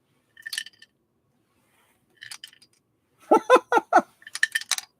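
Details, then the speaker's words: Sewing machine tilted during unboxing: scattered light metallic clinks as a small loose object rolls inside the housing; source not yet found. "I hear something rattling around in there. I'll find out what it is when I start to dig into this machine."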